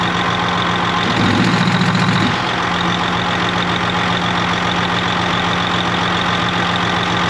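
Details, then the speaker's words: Detroit 60 Series 12.7 diesel idling with valve cover off, Jake brake solenoids pushed manually: short rough rapping bursts as each brake fires; one much louder, others weak or almost silent, electrical vs brake pack fault unconfirmed. "All right. If you notice, all three fired, but I did this one first. It didn't make a noise. I didn't hold it long enough."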